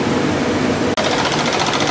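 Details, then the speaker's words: 1959 IBM 729 7-track vacuum column tape drive with read and write errors, while reading and writing: rapid rattling chatter, a brief drop, then fast regular ticking as the capstan starts and stops normally. "vous pouvez entendre le bruit du cabestan qui démarre et s'arrête."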